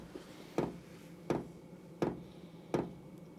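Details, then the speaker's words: Cheap eBay diesel heater on the bench at first start, still blowing cold air: the fuel pump clicks sharply at about 80 a minute over a faint fan hum, but the heater is not firing yet; owner suspects the ignition plate was still warming up. "i can't hear oh i was just about to say i can't hear the diesel pump clicking but i can hear it clicking now and that's firing the diesel through you might have just been getting the ignition plate warmed up first"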